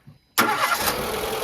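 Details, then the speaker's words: Renault Clio with a head gasket fault, started with one cylinder disabled: it catches on the first crank and settles into a slightly coughing, uneven idle running on three cylinders. "Déjà, elle tousse un petit peu avec 3 cylindres. Là, j'ai 3 cylindres."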